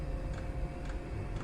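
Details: Chinese diesel air heater, on setting two of six, warming up after glow plug start: soft regular ticks about twice a second over a low rumble, the dosing pump working normally.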